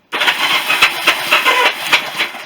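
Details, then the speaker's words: Barn-find Honda CB350 motorcycle cranked on the electric starter with spark plugs out after fixing starter button wiring: harsh, tinny whirring with uneven pulses about four a second; starter sounds worn, owner unsure if sprag clutch. "That noise you can hear there is just a starter. A bit knackered by saying that."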